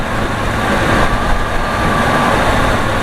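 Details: Chevy small-block V8 in an ex-police surveillance van, after repair restored power steering and charging and stopped overheating; steady, even smooth low rumble with no knocks, squeals or misses: normal running.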